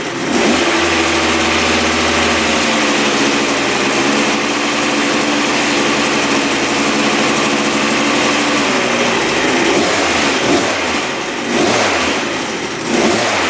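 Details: 1986 Yamaha YZ125 two-stroke barn-find dirt bike, previously bogging with no power, after fix: crisp idle picking up cleanly on each throttle blip, no bogging or stumbling, not smoking excessively; normal running.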